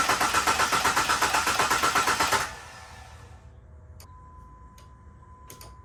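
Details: Jeep Liberty, not run for two years, refilled with antifreeze: even starter cranking at about four beats a second for two seconds with the fuel pump relay pulled to build oil pressure; the engine spins freely but never fires.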